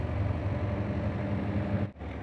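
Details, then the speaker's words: Automatic washing machine (possibly Dawlance) running: steady low hum that runs, then cuts off abruptly as the cycle pauses and restarts intermittently; normal operating sound, not a fault. "है तो अगर कपड़ों के साथ यह vibration कर रही है यह नॉर्मल साल्ट निकाल रही है"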